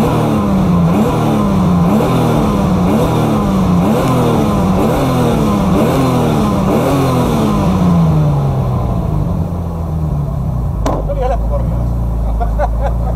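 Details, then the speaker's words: BMW E30 turbo M52, after a day's cooling following track-day lifter tick: repeated clean quick blips about every second, no top-end ticking, rev happy; owner suspects low oil and G-forces drew air into the oil pump and lifters. "Well it started running quiet again after cooling for a day. It's quite rev happy."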